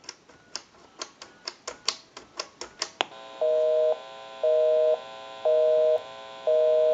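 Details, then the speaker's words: 2500 desk telephone after repair at its final checkout: crisp dial clicks, then a two-note busy signal pulsing about once a second when calling a busy number, so dialing out works normally. "we can give you some dial tone we'll call my number and it'll be busy we'll make that call"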